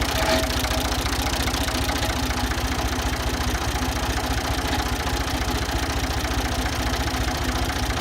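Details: Ford 2000 diesel tractor idling on Diesel Purge, with a weak battery: steady, even knock about one and a half per second over a low rumble; owner suspects bad injectors and hopes the purge cleans them.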